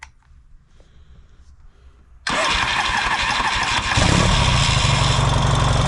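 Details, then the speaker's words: Yamaha XS650 twin, already warm so no choke, fitted with a different 2-into-1 exhaust after a clutch cover gasket fix and carburetor reinstall. It catches instantly and settles into a steady, even, healthy idle. "And I'll fire it up for you and I'll show you what it sounds like with this different exhaust on it. It's already been running, so I don't need to choke it or anything."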